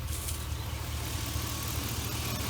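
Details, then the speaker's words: V8 idling steady and even with no stumbles or skipped beats after all eight spark plugs were replaced to cure misfires from wet, fuel-fouled plugs on cylinders one, three and six; normal idle. "let's change them plugs out we'll give it another job bad boy up hot out here today alright sounds pretty good oh"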